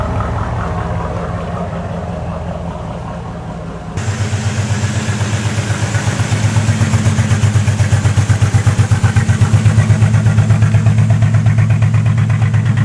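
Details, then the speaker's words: 1986 Cadillac Cimarron 2.8L V6, arrived by tow, before its major tune-up: after cranking it catches into a stumbling, uneven, skipping idle. Misfire because newly replaced plug wires go to the wrong distributor cap terminals. "he first thing we notice is somebody has replaced the plug wires on this car so we know that because these are all nice and gray and pretty and new looking but they ain't going to the right plugs into the distributor cap because that's why it's misfiring and stuff"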